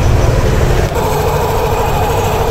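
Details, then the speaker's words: Yamaha Aerox scooter CVT after repair: noise on throttle release was fixed by replacing the torque drive bearing and clutch lining rubber; even low belt-drive drone with no rattle, grind or knocking; normal smooth CVT running. "Wala na mga ka-rota. LS na. Okay na mga karota."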